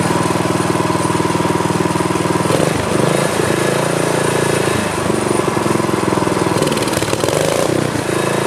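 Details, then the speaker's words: Craftsman tiller LCT small engine, sat 2–3 years, seized engine freed with PB Blaster, carburetor, fuel lines and tank cleaned; loud fast even single-cylinder chatter, steady with a brief dip or two, now running normally. "on all right so it's working the sucker was frozen before but that uh little shot of PB Blaster did the trick"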